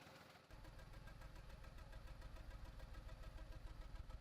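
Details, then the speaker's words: 2004 VW Polo 9N, 1.2-litre 40 kW petrol engine, at startup: lumpy, uneven idle with heavy pulsing beat and engine shaking hard from cylinder misfires; check engine light on, codes read next. "So let's start it up right now. So that's what it sounds like. And the engine almost wants to jump out on us here."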